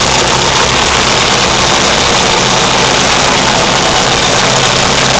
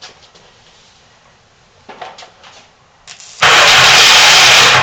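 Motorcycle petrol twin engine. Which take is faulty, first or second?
first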